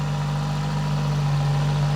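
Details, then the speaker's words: Barn-find Citroen BX 4WD that had not run for about 13 years, just revived: engine holds a fast, steady idle that never settles; owner suspects the idle air control valve is not working. "yeah it's the idle air control valve that is not doing anything"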